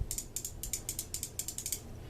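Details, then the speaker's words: J.C. Higgins (Sears) No. 779.31511 spinning reel during service, anti-reverse lever flipped down to engage; crisp evenly spaced pawl clicks in pairs, about eight per second as the handle turns, normal anti-reverse clicker. "That moves the anti-reverse over out of the way so that when this goes back together and we flip it down, now the anti-reverse is working."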